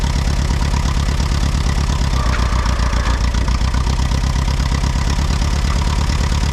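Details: Allis Chalmers WD tractor, sat about a year, first start: low, heavy idle thump with slightly uneven beat; owner suspects one cylinder missing, possibly moisture on a plug, cleared after moving.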